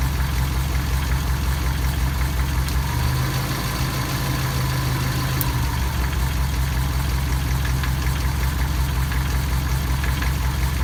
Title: Стук двигателя